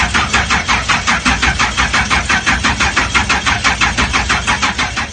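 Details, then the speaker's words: Blown alcohol-fuelled Pontiac GTO engine, first crank of the day: starter churns steadily at about three beats a second for over five seconds without catching; first start of the day takes forever despite fuel reaching the rails. "I don't want to wear most in the starter as well, because the starter starts getting hot. Because the first crank up of the day, it takes forever."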